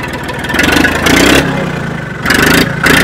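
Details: Old Case diesel tractor (called an 1896 Case) that had been struggling with a poor connection finally starts: the engine catches and surges, revving up and dropping back a few times, then quits, likely out of diesel.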